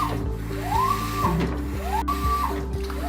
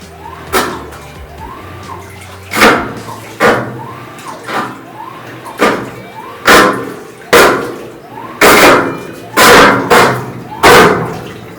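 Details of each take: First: GE top-load washer agitating after fixing a loud grinding noise by raising the front edge so parts no longer scrape, no parts replaced: steady low hum, motor tone swelling each stroke, no grinding. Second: GE top-load washer, filled, during agitation: loud, harsh grinding bursts on each stroke over sloshing water. The cabinet sits too low at the front.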